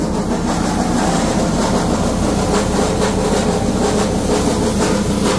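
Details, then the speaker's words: Freightliner Cascadia heavy-duty truck diesel: loud steady running with a constant metallic rattle on top from inside the emissions SCR one-box unit; this specific sound means the SCR box has failed and needs replacing. "That means that your STR box needs to be replaced."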